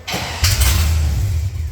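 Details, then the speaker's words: Datsun truck build with a new fuel system, just switched fuel pump, fan and crank: a steady, low starter churn turns the engine over easily, but it never catches because it is out of gas. Cranks but no start, empty fuel tank. "yeah we're out of gas so we will run but you can hear it cranks very easy now with the new fuel system"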